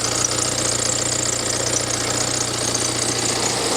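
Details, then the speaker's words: Cheap written-off BMW being checked for coolant loss, engine warm at idle: thin high-pitched chirping squeal over a steady idle. Owner wondered about the water pump, but WD-40 sprayed on the serpentine belt stopped it straight away, so it is belt squeak. "I'm wondering if the squeak that you can hear, I'm wondering if that is actually coming from the water pump. It kind of does sound like it is. I'm going to spray some WD-40 on the belt and see if it gets rid of that squeak."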